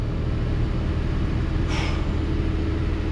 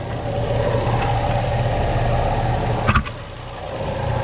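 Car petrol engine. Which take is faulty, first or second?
second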